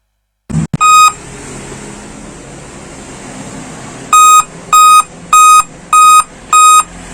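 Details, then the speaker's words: Dell laptop at power-on: one short beep, a pause of about three seconds, then five even high beeps, a POST beep code; cause not pinned down, a constantly pressed keyboard key considered. "setelah itu memang untuk beatnya itu satu kali di London dengan lima kali BIP ya"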